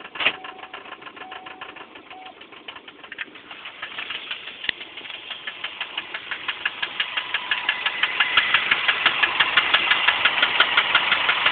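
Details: Subaru Impreza EJ25 that suddenly began idling rough and clicking after coming off the highway: sharp, regular clicking about three per second that grows louder and quicker as revs rise; the owner suspects a spun bearing, but this is unconfirmed.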